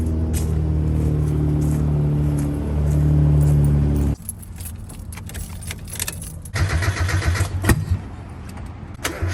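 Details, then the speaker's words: Mazda Miata no-start after fitting a used mass airflow sensor: engine cranks roughly without catching, with sharp irregular backfiring pops; owner suspects coil packs or spark plug wires, unconfirmed. "Hear that? It just sounds horrible. It's backfiring. That tells me that maybe the coil packs are not working, or maybe even the spark plug wires."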